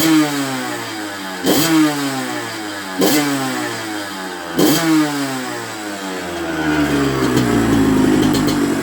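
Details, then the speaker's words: 1994 Honda CR125 two-stroke after cleaning dirt from fuel tank and carb that blocked the 58 pilot jet, causing bogging and stalling, on a very cold night: crisp revs, clean rise, no bog; slightly less crisp at bottom, air screw to adjust. "it does sound a sweet as a not beautiful uh which it didn't do before"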